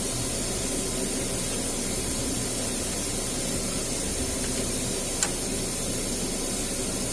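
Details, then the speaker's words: GM vehicle, P0128 thermostat housing and sensor replacement, Mac Tools vacuum tool on the cooling system: steady even hiss of air drawn through the tool, no sputter; suction holding, only a little coolant lost, normal. "You can hear it sucking. You lose just a little bit, but you don't lose very much."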